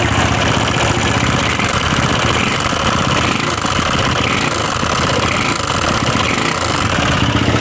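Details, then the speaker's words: Honda CB/GL with a weak idle that stalls, top-end ticking from worn camshaft and rocker arms: rapid rattling ticks over a rough engine note, knocking louder when throttle is applied. "kita gas malah kayak suaranya itu tambah Ya tambah kenceng jadi pada waktu ditarik ditarik itu tambah ada suara ketukan lebih keras"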